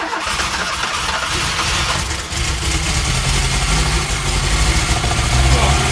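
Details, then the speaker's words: 1971 Fiat 850 Sport Coupe starting for the first time in years on choke, on old fuel. Stumbling turns pick up into an uneven, busy idle that smells of unburnt fuel. Ignition timing seems right and it runs sweetly. Healthy first start. "of unburnt fuel. Seems timing like it's working. I think we can officially say it's alive!"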